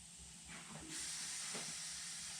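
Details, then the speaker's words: Used sandblaster cabinet air supply: once pressure builds, a steady high hiss starts and holds as air bleeds straight through the failed filter regulator, which was later bypassed by running the compressor directly to the cabinet. "i can hear that filter regulator making a noise which shouldn't be let's put your finger over this just briefly that's air coming through"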